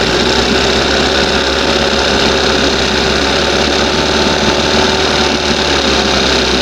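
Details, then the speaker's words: 1971 Johnson 20 hp two-stroke outboard, started with brake cleaner, mixture needle about 1½ turns out: loud, buzzy drone that stays busy and uneven, responding oddly to the needle; mixture poorly set. "Man, she was really responding to that needle weird."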